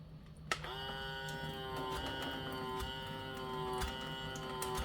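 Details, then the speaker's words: Navage nasal irrigator after fixing lost suction with a rubber band/O-ring gasket under the bottom piece; steady mid-pitched suction pump hum with faint light ticks, suction audible again; normal running. "can hear the suction."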